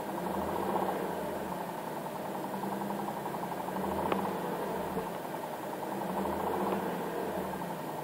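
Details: 2009 Infiniti G37 manual at idle with a light, fast metallic rattle only while the clutch pedal is held down. Dealers claim it is normal on all manual G37s.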